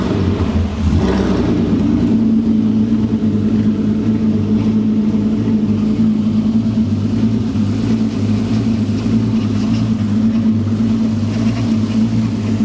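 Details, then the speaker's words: MK4 VW Golf R32 during DSG conversion, engine idling evenly after reconnecting the brake servo vacuum pipe, with a steady moaning hum: the power steering pump whines because its fluid is low, topped up with only half a bottle. "there is that noise from the steering pump because there's only a little bit of fluid in there I thought I had some uh I only had half a bottle so I've put what I could in there but it's still not enough so the power steering pump is making a lot of noise"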